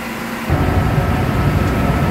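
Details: Store refrigeration condenser restarting after a direct short left the tower without power and pressure high. The low hum jumps to a heavier, steady roar as the condenser motor kicks on and holds an even drone, running normally as the hot lines start cooling.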